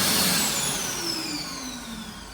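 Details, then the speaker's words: Brand-new Mitsubishi U2 hand dryer, in service only a few weeks (filmed November 2022): the main shutdown is fairly normal, but a loud whine falls in pitch and a high-pitched squeal appears at the end of the run-down. "whilst the main shutdown doesn't sound too bad play pay close attention to the high pitch squealing at the end of it"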